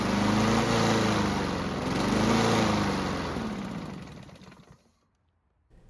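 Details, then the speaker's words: Free Honda mower engine, carb and airbox just refitted with a left bolt thread not catching, starts and runs but surges, pitch rising and falling instead of holding constant speed. "as you just saw and heard, this engine does run, but it's surging where it can't hold a constant speed, but at least it starts and runs."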